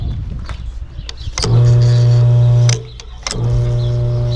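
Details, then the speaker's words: Known-good spare sump pump, shown for comparison with a burnt-out one: steady low hum cuts in about a second when the float switch lifts, stops, then restarts; normal operation. "that's what this one should sound like when this when this comes up like this"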